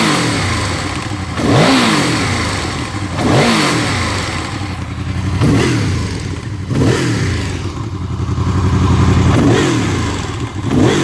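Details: Honda VFR V4 revving up and dropping back cold, with a light ticking over the exhaust that disappears once it reaches operating temperature; cause unknown.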